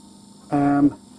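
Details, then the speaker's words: Caravan Alde heating system's small 12 V electric circulation pump, previously seized after long disuse and freed again: short steady electric hum with a clear tone, running smoothly. "And basically, wherever your pump may be, on ours it's in here, you can hear it running. There's a little electric pump here. It's 12 volt."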